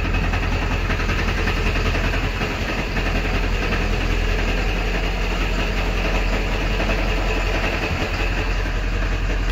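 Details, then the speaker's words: Ford 7.3 Powerstroke diesel pickup idling in neutral with a loose, uneven metallic rattle from the bell housing, gone in reverse; also ugly when coasting to a stop; transmission to be pulled. "you can probably hear that now it's starting to rattle doesn't sound good and that's neutral reverse it goes away it just doesn't sound very good"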